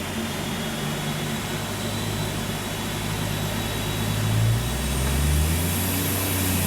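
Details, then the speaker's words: 660cc AWD Daihatsu Mira kei car on the dyno at about 4 lb boost: under load the revs flare and run away without matching pull; the clutch is slipping. ">> So I'm off the clutch alto together. >> That's so slippy. >> That's holding there at 4 lb. And if I just put some >> just eating clutch."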